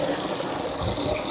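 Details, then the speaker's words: Modified jet water pump drawing from a 6 m bore well, 1-inch outlet, rated 7 m suction and 7 m lift, runs with a steady, even hum under rushing water, no knocking or squeal; normal pump operation. "Jadi untuk Kak Gafur Rohim tadi semua pompanya itu sudah berfungsi dengan normal ya Kak, sudah kita coba dan sudah kita kirim."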